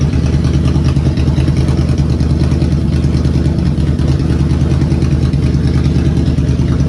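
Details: 2003 Police Interceptor V8 just started after a Cal-Van insert kit repair for a long-standing misfire, slightly cold with a low battery: smooth, even low rumble with no stumble, misfire gone.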